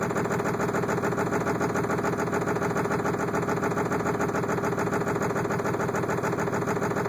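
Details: 7.3 diesel hard start: steady, even cranking at about three and a half compression pulses a second goes on for seconds without catching; extended cranking.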